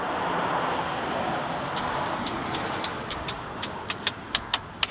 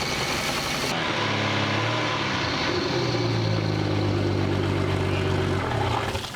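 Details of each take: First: Boat bought from salvage auction, hotwired: sharp single starter clicks about two a second, speeding up, no cranking; engine seized, later replaced with remanufactured engine. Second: Boat from Copart whose locked-up engine was replaced with a remanufactured one, started in neutral after tightening a loose battery connection: fires after a brief crank, rises, then holds a steady, even idle; clean start and run.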